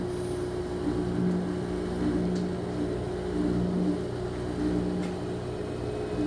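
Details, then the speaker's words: Front-load washer with a no-water-entering complaint, high-RPM spin checked for gasket contact and sway: steady even whir and constant hum, no rubbing or scraping. All functions normal; technician suspects out-of-balance loads. "all the Cycles have test good from door lock to water valve to water valve turning off to agitation to drain now spin all functions appear [Music] normal"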